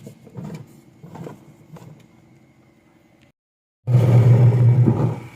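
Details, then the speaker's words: Washing machine after repair for noisy metal-scraping sound, gear case shaft cleaned and wash motor/gear case pulley realigned: steady low motor hum, no grinding, squeal or knocking; normal running. "Wala naman tayong naririnig na ingay. Smooth naman po yan."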